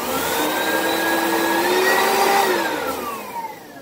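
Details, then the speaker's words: Used vacuum from Facebook Marketplace, functional with working headlights: a steady motor roar with a wavering whine that dips and winds down at switch-off. Owner suspects the brushroll, belt or fan and will investigate. "that doesn't sound the brushroll sound I don't that's brushroll the belts or the fan I'll have to look into that but it does work"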